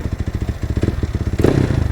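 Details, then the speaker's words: Yamaha NMAX built to 63 bore-up (JBT block, RS8 head internals, new cams, valve springs): idle with fast even clicking from the crank end, because the CVT pulley is off pending crankshaft rethreading of stripped threads. "So ang click lang, 'di ba mga par? So yung naririnig yung ingay na yun dahil wala siyang pulley doon."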